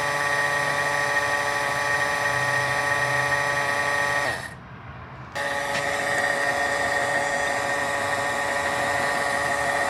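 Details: Boat engine (VST fuel system) before first start: oil pump actuated for priming, steady high-pitched electric whine with brief pause then resuming evenly; oil confirmed pumping, no leaks, normal priming.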